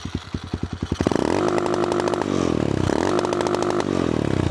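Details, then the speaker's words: Cheap Amazon pit bike with replacement single-cylinder engine, eBay adjustable rev limiter set to 6,000 rpm (DIP switches one and four): revs climb fast then stutter and bounce at the ceiling as spark is cut; sounds good but still a low limit. "That sounds pretty good, but it's still a pretty low RPM limiter."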